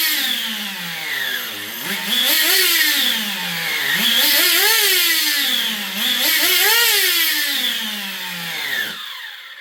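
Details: XTM Baja Outlaw RC truck small engine surging up and down about every two seconds, never settling; the idle gap was opened because the engine loses pinch when hot. Unstable running; carburettor needs tuning.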